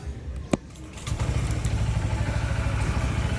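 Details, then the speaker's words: Honda ADV 160 scooter after CVT fix (bell regrooved, 1000 rpm clutch spring) for vibration and dragging, HSTC off: click, then starts and settles into a steady, even low putter with no shudder or rattle; vibration gone, drag much reduced. "Ayan o. Hindi na siya ganun ka-vibrate. Nawala. Tapos yung dragging niya, hindi na rin siya nagda-dragging masyado. Tapos yung tahimik na rin siya."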